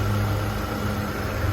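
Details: 2006 Nissan Altima after AC compressor replacement, before recharging refrigerant; brief even idle with a steady low hum and no wobble, rattle or squeal from the belt drive, sounding healthy.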